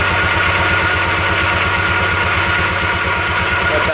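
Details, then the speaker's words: 1995 Tigershark Monaco 640cc 67 hp two-stroke jet ski, unrun for over 20 years: after tapping the sticking starter free, it cranks strongly with steady rapid pulses, blowing oil out; normal cranking. "That sounds really good. Now it's working pretty good. It's blowing that oil out too. It's a good sign."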